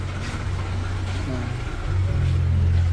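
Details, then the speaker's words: Nissan Almera/Sunny N17 just after start, no throttle: uneven shaky idle, rpm sags almost to stalling then climbs back, engine later stalls; exhaust smoke smells bad; rough hunting idle, cause not yet found. "Ayan nagloloko na yung tunog ng makina shaky ung makikita niyo shaky yung makina niya hindi normal"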